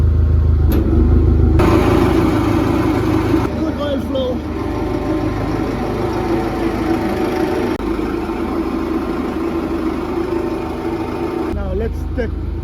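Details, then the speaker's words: Boat hydraulic pump after overhaul; impeller had been fitted flipped the wrong way, turned around: even, steady pump drone with low hum, no knocking or whining, running normally. "So I flipped it around and tested it out, and it works."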